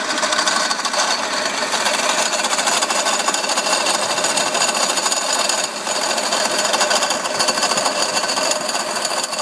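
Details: Mercedes CL500 W215 tandem pump (ABC hydraulic plus steering) at idle: fast, constant metallic chatter with thin tinny edge; persists after pump replacement, steering and ABC work fine, broken or loose bearing suspected, not confirmed.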